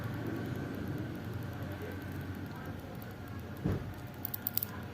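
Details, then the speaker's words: New Royal Enfield motorcycle, ignition key off: touching the battery terminal gives a short fizzing crackle and sharp snaps with slight smoke, showing current draw with the key off; battery draining. Battery terminal spark from key-off current draw. "मैं आपको चरचराहट आवाज आ रही है यह आपको थोड़ा सा धुआं दिखेगा पार्किंग दिखेगा ऊपर जो चाबी है वह बंद है बिल्कुल भी ऑन नहीं है"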